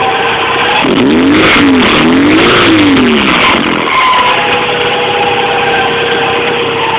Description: Having problems with my MR2 making Screeching noises.